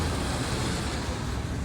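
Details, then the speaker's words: 1990 Nissan 240SX idling with an uneven, lumpy low rumble from a misfire; cylinder 2 is burning oil. "if you have a misfire the possibility that and you're burning oil that could be an issue"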